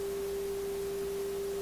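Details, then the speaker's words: Viking console stereo during AM alignment, signal generator swept around 455 kHz: clean steady mid-pitched test tone, loudest right at 455, showing the IF stage peaks correctly and is well aligned. "Okay, and you see it's right on 455, so that's a really good indication already that this radio is well aligned."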